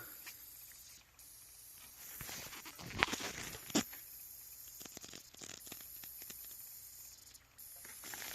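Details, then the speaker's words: Audi A6 C6 4.2 that keeps blowing fuse #5: faint steady high hiss with scattered crackle as fuel leaks, bubbling and dripping, from the cracked, rusty connector on the high-pressure fuel pump. "can hear it hissing there it is right there see it bubbling"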